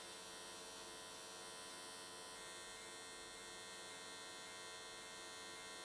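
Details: AC TIG welding an S13 catch can, likely aluminium, at 95 Hz square wave. Steady, even buzzing hiss with no crackle or sputter. Clean, stable arc at this frequency, judged a good choice that carried the weld all the way around in one session.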